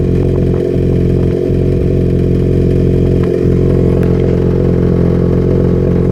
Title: Misfire possible fueling issue?